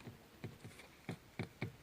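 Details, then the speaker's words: Renault Scenic 3 after steering rack tightening, hand lightly holding the horn pad in a quiet cabin: hollow, unevenly spaced plastic knocks from the horn pad itself rattling in the wheel. "совсем чуть чуть и она стучит значит щас возьму по акциям вот и чуть-чуть придерживаю то есть еще сам сигнал стучит"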